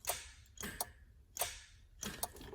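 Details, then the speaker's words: Nissan 240SX S13 with SR20 engine, battery hooked up after rewiring the switch panel; tapping the starter gives only sharp dry clicks and no cranking because the battery is very dead. "The battery's dead, but you can hear it clicking."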